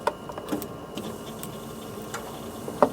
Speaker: do we hear the pump running the pump is running so now since we have the pump running I'm going to crank the engine